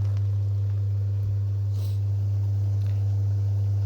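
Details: About 8-year-old Rimini spa with a brand-new 2-speed jet pump motor: loud steady low mains hum as the pump comes on again by itself with no clear reason; cause unknown.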